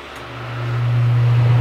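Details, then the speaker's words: Dometic RV air conditioner after swapping analog controls for a new digital thermostat; after the thermostat's built-in delay, fan starts on low with a low steady hum swelling and settling; normal fan start. "so let's go to low there's a delay then the fan will come on"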